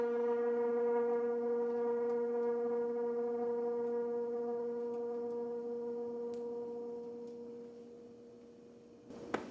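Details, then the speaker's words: Propane garage heater with a striker and a rear lever, lighting: a steady low hum with overtones fading over about eight seconds, a moan on every startup; owner guesses air in the hose but doubts it, cause unknown. "whenever you start this one up if you've ever seen Finding Nemo it sounds like whenever Dory tried to talk to the whale that's exactly what this sounds like when you try to start it up and I don't know why it does this I'm assuming it has something to do with like air being in the hose or something"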